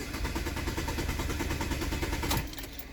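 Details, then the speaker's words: Saturn that takes several tries to start: the engine cranks and stumbles with an uneven, sputtering beat, cylinders not firing, before it dies back down; owner suspects a fuel injector or coil pack, not confirmed. "it won't start first time hear it here sputtering listen like while the cylinders ain't firing"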